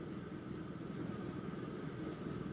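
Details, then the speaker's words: Ceiling fan whose upward-angled blades barely clear restrictive ceiling beams: steady low whooshing helicopter-like chop, no knocks or rubbing; air turbulence noise from blades churning restricted air. "it gives it a helicopter type noise too so it sounds like an industrial so I don't know how this fan really performs cuz I never actually tested anywhere else"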